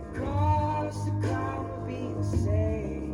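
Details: Old thrift-store speaker owned about 15 years, cone gashed by a child's finger, played before a silicone repair: music breaks up with fuzzy buzzing distortion on bass notes, even unpushed mid-song, from the torn cone flapping.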